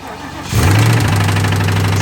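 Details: VW Jetta with rod knock, treated with Marvel Mystery Oil and jump-started: cranks, catches, then settles to a low even idle with a faint knock underneath. The oil didn't fix it; copper chunks were found and the engine needs replacing.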